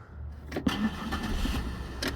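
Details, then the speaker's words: 2005–2007 Buick LaCrosse with a no-start/no-crank fault caused by a faulty ABS module (EBCM): with the module unplugged it cranks quickly, starts right up and settles into an even idle. "yeah starts right up let's see what happens if we plug it in"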